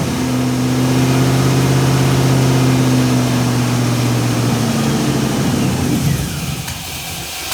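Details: 1978 Datsun 280Z with aluminum 5.3 V8 and NP440 4-speed, after head gasket job, warming up to temperature; deep steady drone, revs held briefly then easing toward idle, even firing, no knocks or misses; runs healthy.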